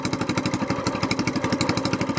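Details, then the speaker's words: SPS Longtail mud motor started on a very cold morning with the choke on, warming up four or five minutes before an oil change: crisp single-cylinder popping, about eleven even beats a second, steady and unhurried. A normal cold fast idle. "all right it's really cold out here this morning so we're just going to crank it up let them run five four or five minutes get good and warm I've got the choke still"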